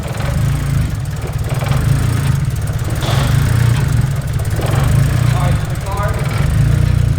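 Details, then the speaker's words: Engine on its first start with a scratch-built custom engine harness and a base tune, with no idle air control valve fitted yet: low, lumpy idle that wanders in loudness. Rough idle from the missing idle air control valve. "right so you know I learned it in the car has no I AK so it's gonna be a little rough the idle for now we'll set that up later on"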